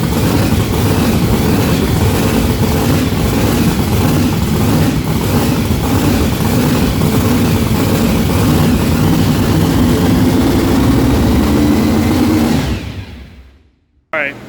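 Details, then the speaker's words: Blown, mechanically injected big-block on methanol at first start-up, with fresh plugs and wires and a compression test done: loud, lumpy, uneven idle with stumbling pulses, then it shuts off. Misfire, front two cylinders not firing. "So we have a little issue on our hands. All these cylinders are firing except for the front two."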